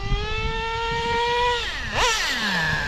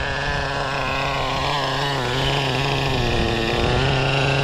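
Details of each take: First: O.S. 21 TM nitro engine in a Traxxas RC being needle-tuned. Steady high buzz holds level, then a quick blip and clean drop back with no cutting out. The needle was screwed in too far and cut out, then backed out; it now runs smoothly. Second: O.S. 21 TM nitro engine in a Traxxas RC being tuned. Screams at high revs, the pitch wavering then climbing and steadying as the mixture changes audibly from rich to lean.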